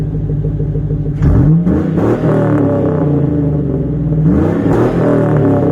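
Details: Stock 5.3 Chevy Silverado V8 daily/work truck with a single exhaust through the Edelbrock muffler, before the swap to a Magnaflow. Deep, even burble with two clean throttle blips rising and falling smoothly: a normal, healthy exhaust note.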